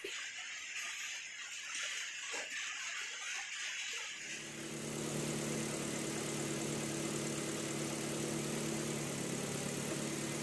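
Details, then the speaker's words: Proton Pesona after a thermostat replacement and radiator coolant flush, started and left running while waiting for the radiator fan to switch on. Quiet for four seconds, then it catches into a steady, even, smooth idle. "Kita start engine kereta, kita biarkan macam ni dan kita kena tunggu sehingga dia punya radiator fan auto running, bro Q."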